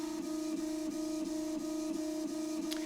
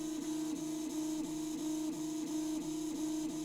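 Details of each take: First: Prusa i3 Mk2 after Drylin bearings were fitted in the head: gritty rumble on long axis moves from the remaining original linear bearings, which are still noisy. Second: Original Prusa i3 Mk2 3D printer after replacing stock linear bearings with Drylin bearings: soft steady stepper hum with gentle rhythmic dips as axes move, no rattle or grinding; quiet, worthwhile upgrade.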